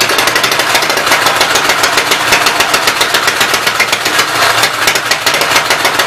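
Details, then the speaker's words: Fast, busy clatter from the open valve train over a rough, uneven run on the Westchester engine, valve cover off, oil spraying; owner suspects smoking from a knocked-out block, oil blowing up from crankcase; top end needs rebuilding. "I think it started smoking because I knocked the one block out from behind it. All the oil's hanging out in the crankcase and going up around it. So top end's gonna need rebuilt."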